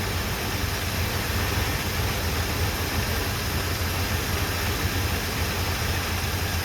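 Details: 1978 Chevrolet C10 V8, first start on its own gas tank after new plugs, wires and first oil change in 10 years: low, steady, even idle with no knocks or misses; fuel pump working, though smoking fairly heavily.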